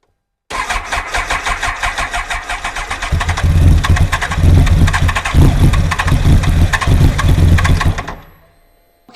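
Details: Kawasaki ZX-12R with 2000 miles, first start attempt after years of sitting, about 3° ambient; battery cable reconnected, fuel pump heard priming; rapid uneven cranking for about three seconds, then catches, runs rough and lumpy, and cuts out.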